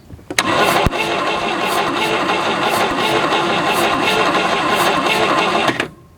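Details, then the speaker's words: 1967 GMC C20 with 305 big block V6, sat at least 7 years, starter grinds about five seconds with only faint stray catches, never fires; checked and found no spark. "no spark awesome sauce looks like we need to do some digging and figure out why we got no spark cuz it sure isn't sparking"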